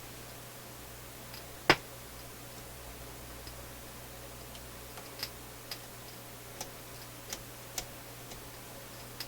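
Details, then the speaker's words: Philips console stereo receiver, tube output circuits, phono/auxiliary input with amplifier buzz: sharp irregular pops, about eight in ten seconds, over a faint steady hum, crackling from both speakers; intermittent output popping, cause not yet found. "popping again what did I do to this thing"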